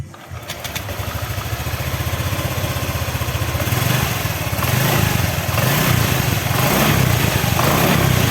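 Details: Honda Vario 125 old-model scooter engine just reassembled after radiator water spraying out from head gasket leaking compression, oil changed, tap water in radiator: catches, quick even putter steadying as it warms; normal idle, fault fixed.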